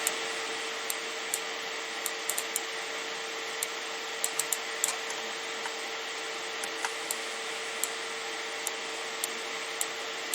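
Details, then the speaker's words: Radeon RX 570 graphics card's single fan spinning up under gaming load, custom fan curve 80% from 40 degrees: steady airy whoosh, faint constant hum, light clicks; normal high-speed fan noise. "You're going to hear that fan spin up and you'll hear the noise from it, which doesn't bother me. I'd rather have a little bit of noise and a fan that I know is running than to have nothing at all."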